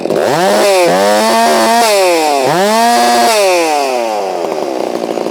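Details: Holzfforma G660 chainsaw on a chilly morning, warming up, cutting wood; it had been losing power at top-end rpm (fuel filter suspected). Screams at high revs, dips briefly into each cut and pulls back, holding speed: healthy power under load, still idles down; low end may need adjusting.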